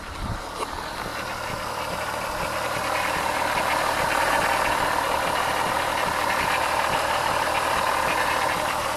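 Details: VR6 at idle after replacing the ignition coil on misfiring cylinder 5 and clearing the code: an even, steady pulse of about four beats a second with no missed beats or stumbles; normal idle on all cylinders.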